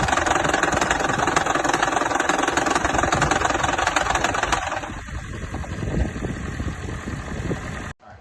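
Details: Toyota Prius 2ZR engine cold start with a blown head gasket: rough, uneven idle with lumpy thumps three or four times a second; cold start misfire.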